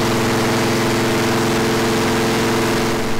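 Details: Freshly built V8 on first start before break-in, after fixing fuel and water leaks, ignition timing checked: deep, even idle with a smooth steady beat, no knocks or misses; healthy.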